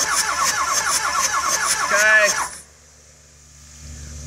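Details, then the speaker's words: 2006 Ford F350 6.0L diesel, non-runner, compression test through the glow plug port on the third cylinder back, driver side: steady cranking without firing, about 400 psi read; heads suspected damaged from recent overheating. "now we're on the third one back and we're gonna go ahead and crank this over and see what we get"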